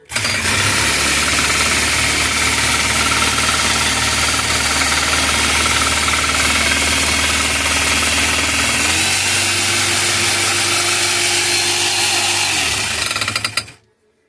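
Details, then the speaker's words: Home-built power hammer/metal press used for hinges and nails: rapid, loud, even hammer blows near four per second, slowing slightly before shut-off; running right. "Okay, so that was like just a little demonstration of things that I create. It's obviously home built."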